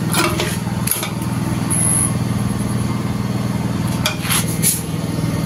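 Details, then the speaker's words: Honda CB150R (LED headlight) at key on, engine off: low, steady fuel pump hum that never stops instead of cutting off after a few seconds; found to be a faulty ECM holding the pump on. "jadi motor ini permasalahannya full pnya ini dengung terus mas gak mau mati ya jadi saat kunci kontak on ini pnya bunyi terus ya padahal normalnya kan saat kunci kotak on selang beberapa detik mati ya"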